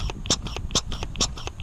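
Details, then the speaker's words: Kawasaki EX250 Ninja carburetor during cleaning, testing the cleaned slide diaphragm: regular airy puffs about twice a second as the slide moves; good vacuum on top of the cap, diaphragm holds with no hole. "that means you got a good vacuum on top of your old caps you know for your slides"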